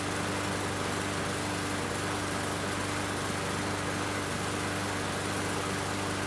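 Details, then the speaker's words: Murray 21-inch mower with Briggs & Stratton 450 series engine, after cleaning water-contaminated plastic carburetor that caused hunting and sputtering: fast steady buzz, slight hesitation only, no surging; running much better. "Sounds good to me. I had a little hesitation, but it's running a lot better."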